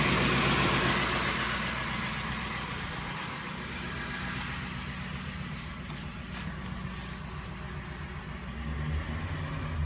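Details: Ford Triton 5.4L V8 with VCT at idle: rough running with a steady tick about four times a second near the driver-side valve cover, from failed ignition coils misfiring while the ECU altered timing; fixed by replacing all 8 coils and spark plugs.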